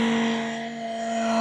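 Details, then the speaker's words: Cassette tape recorder, belt problem already fixed: loud steady low-pitched musical howl through speaker whatever button is pressed (play, forward, reverse); caused by stuck record lever. "So நான் இப்போ tape recorder side நான் எந்த பட்டனை press பண்ணாலும் அது சத்தம் தான் போடும்"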